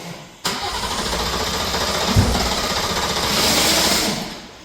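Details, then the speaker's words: B58-swapped BMW E24 cranking after misfire troubleshooting: engine spins on starter, coughs once but never catches; flooded from heavy over-fueling, spark plugs fouled with fuel again, cause still unknown. "Looks like the plugs are fled up again. The car won't start now. It's over fueling like crazy."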